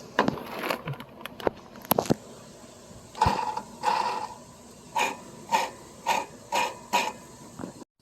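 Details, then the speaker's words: John Deere 100 series riding mower drive belt idler pulleys, heard loud once the parking brake is released, spun by hand: gritty, rough whir with a ringing metallic note from worn bearings. They are being replaced. "They sounded really bad, and to do that you need to remove the deck."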